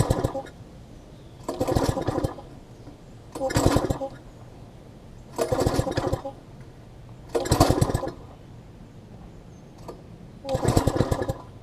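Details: Long-stored MTD front tine tiller after carb cleaning and water drained: repeated short bursts about every two seconds, each dying quickly; sputters and won't stay running, later traced to miswired carb throttle linkage.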